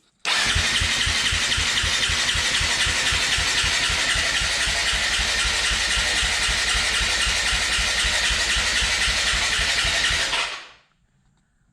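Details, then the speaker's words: 2018 Yamaha YZ250FX, about 260 hours, warmed up a minute then died: starter cranks steadily about four beats a second but never starts; compression and leak-down good, fuel pump not cycling, owner suspects fuel pump fuel starvation. "Crank all day, but no start. Before I checked the spark, I had good compression, I did a leak down test. So it sent me back to fuel. And that's what my problem is."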